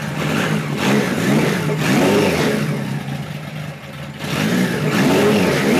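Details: 1973 Kawasaki Z1 900 four: clean throttle blips dropping back to a fairly even idle without popping; runs pretty well but needs more carb tuning, owner suspects lean running since the idle must be backed off when hot; air screws at about 1-5/8 turns.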